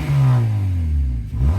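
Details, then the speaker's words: 2006 Honda Civic sedan (8th gen) with muffler rusted off, before exhaust repair: deep, loud boomy exhaust note swelling as engine revs and dropping back, racing-car-like; exhaust leak, later muffler and resonator centre pipe replaced. Loud exhaust when revving. "yes so it sounds like we need some new exhaust in the Honda actually well it doesn't sound too bad it kind of sounds like a racing car but maybe not"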